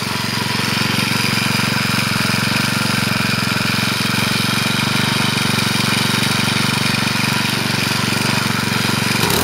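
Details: Troy-Bilt four-stroke weed eater after clutch repair, cold on half choke, likely original oil; steady even run with a piercing high whistle on top, no stumbling or surging; runs really good.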